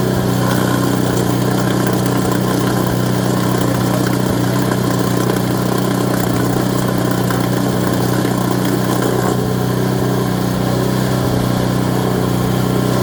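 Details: Auction-bought Craftsman Series 2 snowblower small single-cylinder engine after points and ignition check: holds steady, even idle with smooth firing, no misses or surging; normal running.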